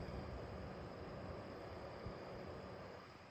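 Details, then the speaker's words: New gaming PC in an MSI Gungnir 300R case with all coolers on minimum in quiet mode: a steady airy whoosh with a faint low hum, about 55 dB. The fans are too loud even at idle. "55 дбе ви розумієте і це конкретно шумить от просто послухайте ось цей"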